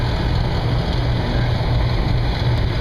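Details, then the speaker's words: HVAC air handler (unit 587 ANO24060) after cleaning an evaporator coil plugged solid that caused no airflow: steady even whoosh with low rumble, no surging or rattling; blower now pulling air normally. "And pulling some air now."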